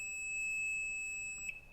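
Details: Sea-Doo jet ski during a spring oil change, cranked with throttle held so the computer doesn't start the motor, on a nearly dead new battery. One long, steady high-pitched warning beep; cause of the warning unclear.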